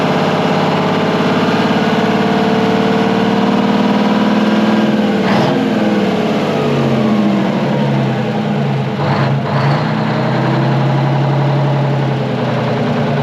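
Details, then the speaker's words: Twin-turbo Detroit Diesel 12V71 generator, abandoned and revived, after the fan was fixed: deep, even idle with a steady throb and no fan rattle or clatter; runs smooth and healthy. "dude what a sweetheart of a motor sounds way better than a fan clattering around on it much better yep"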